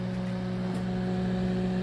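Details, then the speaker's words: Panasonic NN-ST352WRUN microwave, found discarded with burning smell and strange noise, fuse tested good; powered on, lamp lights and cooling fan runs with steady even hum and airy whoosh, but magnetron not working. Normal cooling fan run. "minha lâmpada acendeu nosso ventilador rodou"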